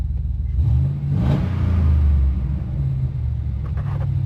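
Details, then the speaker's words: 2001 GMC Sierra 1500 C3 with a 6.0L LQ4 V8 on a road test, after rattles were fixed with a heat shield and fender bracket: deep rumble swelling smoothly when revved, no knocks. Normal engine revving. "Gotta love that sound."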